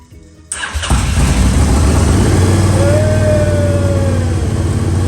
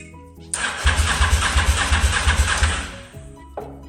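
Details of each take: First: Honda Varadero motorcycle stored 5 years, after replacing fouled spark plugs, ignition bypassed, battery booster connected: brief crank, then engine catches and settles into a steady, even idle; starts and runs fine. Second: Honda motorcycle stored 5 years, ignition bypassed: starter cranks about three beats a second with ragged firing that never catches; cranks and fires but won't start due to fouled spark plugs, to be replaced.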